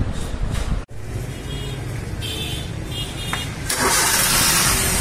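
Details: Maruti Suzuki Wagon R engine: starter spins briskly and evenly for a few seconds, then the engine fires and settles; normal cranking after the old weak battery, which dropped to about 7 V while cranking, was replaced and voltage stayed above 10 V.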